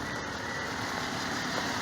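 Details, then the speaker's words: 2006 Toyota Corolla after a new left CV axle, front wheels lifted and parking brake on. Steady engine and drivetrain hum in reverse and drive with no clunks, clicks or grinding; the noise is fixed. "and no noise at all the problem has been fixed"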